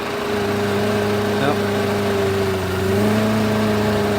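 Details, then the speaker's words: 2004 Mercedes SLK230 at idle: hum wandering in pitch and level, idle way off; engine moving a lot, dealer notes engine mounts need replacing; owner suspects MAP sensor, code P0410 pulled, cause not confirmed. "I did note on the dealer's stuff that engine mounts need to be replaced which is probably why it's kind of moving so much and"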